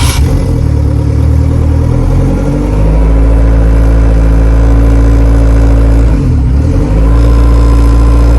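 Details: Honda Civic EG on a Hondata S300, after replacing a faulty new three-bar MAP sensor and plugging and disabling an IAC valve stuck open that caused a vacuum leak. Deep, steady idle settling after a brief flare, no misses or knocks.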